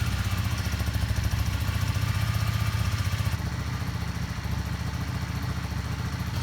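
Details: Yamaha Star 650 V-twin after carburetor rebuild, cold idle on full choke with little fresh gas: low, loping steady thump without misfires or stalling; healthy choke idle.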